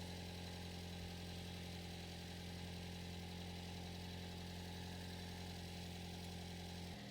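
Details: 2007 Toyota Yaris with 205,000 miles, just after replacing all four fuel injectors and insulators: smooth, even idle with a steady low hum and no misses, stumbles or ticking; normal idle.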